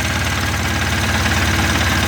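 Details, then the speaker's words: Mahindra Supro diesel, previously a no-start with no trouble codes due to a faulty rail sensor, now running: steady, even diesel clatter at idle with no misses, knocks or hunting. Revs and sound are normal. "गाड़ी race भी सही हो रहा है पूरा ठीक है sound वग सब सही"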